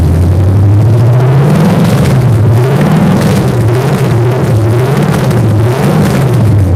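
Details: Normal idle of a V8 fitted with ram-horn D-shaped exhaust manifolds and no exhaust system, running on open manifolds after almost a month on the dyno; deep, loud, lumpy rumble settling into a steady, even idle with no knocks or misses.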